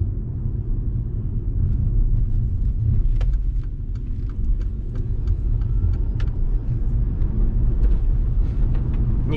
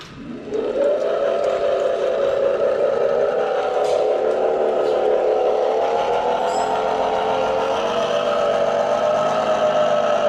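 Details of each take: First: Mercedes-Benz Electric Drive (Tesla-built motor), about 96,000 km, test drive after electric motor repair: only steady low road rumble, no motor whine or bearing growl; drive unit now runs absolutely quiet and healthy. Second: Mercedes Electric Drive with a Tesla-sourced electric motor, driving away from the lot. A clear tonal whine rises as the car pulls away and holds steady while cruising. Points to a worn reduction gearbox bearing.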